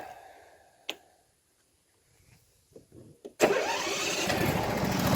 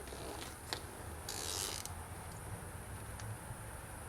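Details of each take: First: Briggs & Stratton mower engine that had been popping and banging at the intake, after the carburetor tuning screw was turned slightly toward lean, choke off: a few cranks, then it catches and settles into a steady, even idle without misses; sounds normal. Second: Briggs & Stratton lawnmower, mower deck: irregular creaking, scraping and brief rough grinding over the engine rumble. Worn deck spindle bearings adding slight load.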